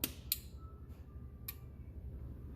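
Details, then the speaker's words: 2001 Chevy Silverado 2500HD transfer case control module on bench breakout box: single sharp click at power-on, then a softer click as it drops out; normal relay cycling. "turn my power on turn main voltage on here click and shut off"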